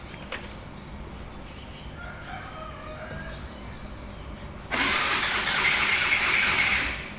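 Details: Honda Scoopy i that won't start on the electric or kick starter. Spark was checked and the plug replaced, and the injector was then removed to check for fuel. About two seconds of starter whirr with no firing; a rooster crows nearby. The injector has failed.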